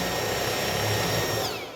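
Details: Vorwerk Kobold VR200 robot vacuum main brush whirring with a slightly uneven low throb, running out of true and binding, before winding down; cause is excess axial play in the main brush.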